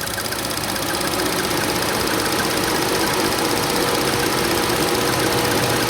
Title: 2014 Chevy Sonic LTZ Turbo 1.4L — Bird chirping squealing sound with the AC turned on.